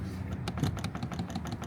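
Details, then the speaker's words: Jeep Grand Cherokee WK2 windshield cowl, pushed up and down by hand with the hood open: irregular sharp plastic clicks at its contact points, suspected source of the highway humming; fix is rubber shims under the contact points. "the noise gets created by this thing going up and down like this you hear the clicking"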